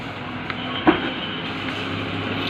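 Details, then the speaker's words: Cooler/exhaust fan motor after capacitor replacement and rewiring: smooth, steady low whir at constant speed with no hum, rattle or rubbing; normal running, full speed restored after repair. "तो दोस्तों आप ये देख सकते हो ये आवाज़ भी नहीं करेगी और चलेगी भी सही। तो दोस्तों इस प्रकार से सप्लाई में वायर देने के बाद में आप देख सकते हो ये मोटर है वो एकदम सही चल रही है, ये ताकत है वो भी एकदम सही कर रही है।"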